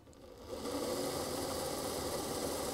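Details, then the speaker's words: Model railway locomotive motor on a rolling road, running in reverse: steady buzzy hum with rough uneven shudder, slightly faster than forward; cause unclear. "it seems to run slightly faster in reverse there's obviously quite a lot of shuttering going on here"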